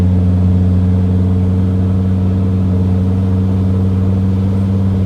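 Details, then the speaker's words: Mercedes T1N Sprinter with suspected failing turbo vanes, driving slightly uphill under light load: steady even drone with constant tones, no surging or flutter; normal turbo sound under load, not the problem noise. "this is going a little uphill so that's that noise is fine that's supposed to be there"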